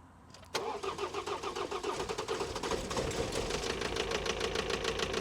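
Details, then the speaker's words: 2021 Ford Transit bought as a non-runner, turbo previously removed, first start: brief crank, then an uneven, lumpy idle with irregular beats. It sounds like it is running on three cylinders; a misfire is suspected, not confirmed. "it sounds a bit rough doesn't it it does"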